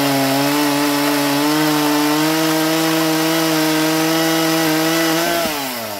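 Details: Stihl MS170 roadside-find chainsaw, first run in years with a filthy, uncleaned carburettor, cutting timber. Clean, steady high pitch through the cut, dropping smoothly off the wood; pulls well under load.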